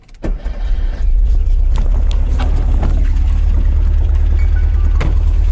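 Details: 1970 Karmann Ghia that came in with loss of power and failed a compression test, now with the engine back in and a new dual exhaust: brief crank, quick catch, then a steady low burbling idle with even pulses and no misses. A healthy start.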